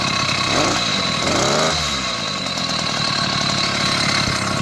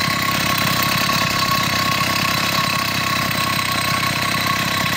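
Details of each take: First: 80cc Chinese two-stroke motorized bicycle engine with ongoing carburetor problems, running cold. It revs unevenly, sagging and stumbling under throttle; it bogs while cold and runs rough however rich it is set, though better than before. Cause not confirmed. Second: Chinese 80cc two-stroke motorized beach cruiser bicycle engine after spark problems, with a new spark plug, boot and performance ignition; carburetor issues persist somewhat: steady, even buzz with quick regular firing pulses and no misses or knocks. Normal running.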